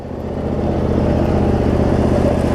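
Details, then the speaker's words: Cub Cadet zero-turn mower with Briggs V-twin, previously running rich with wiring, charging and governor issues, after repair; low steady even-firing note, no misses or knocks; tracks straight, drive belt a little worn, otherwise runs fine; normal running. "and the thing tracks straight too dry belt's a little worn but runs fine otherwise"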